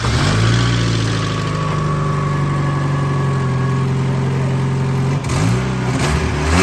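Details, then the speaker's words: Spec Miata (MX5) track car, after a failed cam angle sensor was replaced to fix a crank-no-start: it fires up to a smooth, even idle and revs up and back down cleanly with no misses or knocks. "we put it in there as you see little Alito fires right up and starts up and it's ready for you to come down here and buy it"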